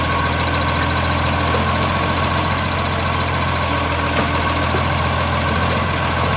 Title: Brisbane Garbage Blasting Exhaust Leak